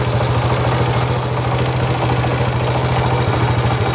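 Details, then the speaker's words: Honda Wave 100 idling in neutral: quick, uneven tick-tack from the flywheel/magneto side from loose starter clutch bolts, plus a starter clutch knock. "Cái tiếng kêu tích tách này, nhưng mà nãy nó còn có một tiếng lỏng của bát đề nữa. Đấy, có cái tiếng cộc cộc nha anh em nhá."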